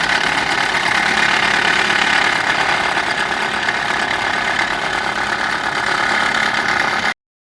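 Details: Subaru Impreza G4 engine at idle: a loud, busy metallic clatter rides steadily over the idle without letting up. This is the abnormal engine noise brought in for repair, and the cause is not yet pinned down.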